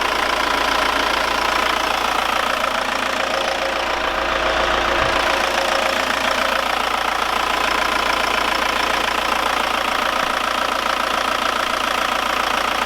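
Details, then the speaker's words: Audi diesel after tappet work, warming up with thermostat open: smooth steady idle with only normal diesel combustion clatter about three a second; tappets primed, no more abnormal tapping. "Et je vais te faire écouter le bruit du moteur, il ne claque plus du tout. Avec la claque normale, c'est un diesel."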